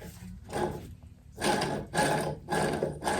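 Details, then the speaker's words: Arctic Cat EXT 580 snowmobile engine teardown, cases split; rough, gravelly grinding in bursts as a worn crankshaft bearing is spun by hand, bearing done. "bearing is done this is the one i'm worried about"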